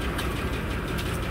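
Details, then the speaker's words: 2015 GMC 5.3 V8 cold idle with codes P0300, P0304, P0172, P0324: faint regular tick over slightly uneven rumble, running rough with misfire; bent number 4 exhaust pushrod off its rocker arm. "it's got a significant ticking noise in the engine"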